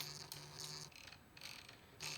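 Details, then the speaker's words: Datsun 280Z distributor, shaft turned by hand: faint dry scraping and ratcheting ticks as the pickup rubs on the reluctor teeth, which doesn't sound right. "The problem I've got is this. It doesn't sound right to me at all."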